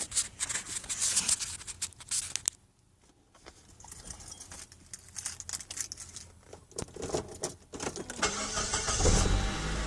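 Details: Saab 9-3 that had been hard starting, then quit starting; ignition cassette and crankshaft sensor had been replaced without effect. After the popped-out stopper was refitted into the fuel pump's high-pressure check valve, the engine cranks, catches and settles into a steady run.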